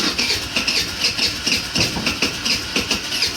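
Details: Old GY6 scooter running just after a new battery was fitted and it first cranked on the key. It ticks over with quick, even beats and a light rattly top end, no misses or knocks; normal running.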